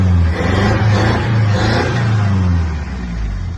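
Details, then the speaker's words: Toyota Corolla Conquest/Tazz successor, sat abandoned over 3 years, after service (15W40 oil, filter, plugs, petrol filter) and alternator refit; deep steady rumble, smooth revving, no knocks or ticks; engine intact. "Just listen to that sound of the engine. You can already tell that the engine is still intact."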